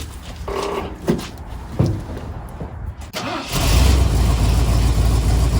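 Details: 1974 Ford F250 SuperCab 460 V8, parked 14 years, run with the mechanical fuel pump hooked up: a few cranking bursts, then a deep, steady, even idle; a normal idle.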